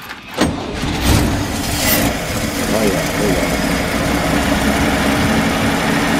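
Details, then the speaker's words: Cold start of an RV motorhome engine dormant over 20 years, with rebuilt 1-barrel Rochester carb, fresh gas and an electric fuel pump. Gas poured into the carb, in neutral, choke needed. Cranks, catches within a second, then settles to a steady even idle; normal cold start. "is all awesome people this thing's running a little bit and choked open there"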